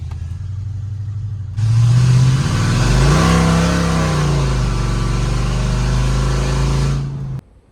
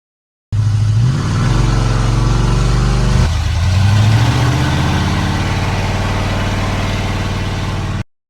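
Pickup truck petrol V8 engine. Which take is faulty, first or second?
second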